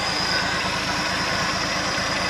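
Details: 1971 International Harvester 1110 pickup, AMC 232 six, 4-speed, idling after its first start on a rebuilt carburetor, with timing set and coolant added. Steady, even low thrum with no misses, knocks or hunting and no exhaust smoke; healthy.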